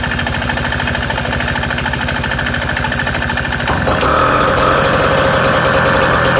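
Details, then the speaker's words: Bullet Train BT-80 electric-start motorized bicycle engine with newly built custom exhaust, cold start (first run of the day); small single thumps quickly and evenly, louder and crisper partway in. Normal cold start and idle. "probably want to hear it run before I end the video uh this is a cold start too so I haven't even started it yet today"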